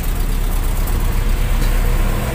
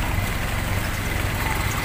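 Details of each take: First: Toyota Kijang Super petrol engine after replacing the full set of spark plug wires (one was leaking current): fine at first start but stumbles and hesitates as if about to die when revved, deep uneven lumpy rumble. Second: Toyota Kijang Super carburetted engine that ran rough and shaky despite a cleaned carburetor and new spark plugs, retested after a fix: low even thrum with a regular firing beat, no shake or skipping; normal idle, sounding different now.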